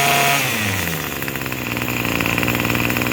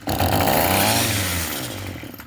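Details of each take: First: Craftsman 27cc two-stroke string trimmer, made January 2013, restarted after it suddenly stopped and smoking: high, fairly steady buzzing idle with a quick rev at the end; running normally. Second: Craftsman 27cc two-stroke string trimmer, free, primed with two-stroke mix down the carb throat: sharp bursts rise to a buzzy rev then die within two seconds; fires only while throttle is held, won't sustain; carburetor to be removed.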